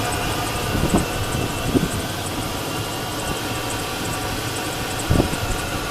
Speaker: This is the 5.3 liter V8 engine. So there is a lot of life left in the engine. I'm going to pop the hood here. We'll take a look at that engine. And there you go. It runs off pretty good.